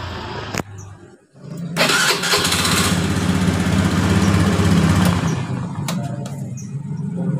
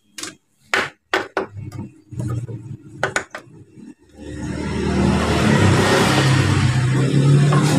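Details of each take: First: Beat injection scooter, starter cranking after repair: short clean crank without the former rough "ngek" noise from the starter motor, engine catches quickly to steady idle; the starter motor was dirty and dry, cleaned and greased, now normal. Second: Honda Beat injection scooter starter motor, removed from the bike, with a complaint of a rough "ngek" noise when starting. The loose starter spins with a coarse, gritty growl instead of a smooth whir. Inside it is dirty and dry; fixed by greasing the bushing end.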